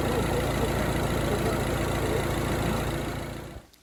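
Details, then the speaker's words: 2008 Mini Clubman Cooper S R55 automatic, 160,000 miles: steady idle with a fast, fairly even puffing tick about three to four per second; suspected exhaust manifold leak, underneath at the front. "Sounds like the manifold's blowing a bit. Yeah, I thought that. The exhaust. Underneath at the front."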